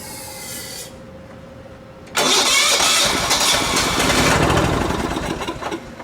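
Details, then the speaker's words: Late-1980s John Deere RX95 riding mower, found abandoned: starter cranks steadily at about three strokes a second but it never fires, because the fuel valve was off and the fuel line wasn't connected to the carb; no fuel reaching the carb. "helps if when you turn the the fuel valve on that you actually have the fuel line hooked up to the carb oh okay well you know live and learn right"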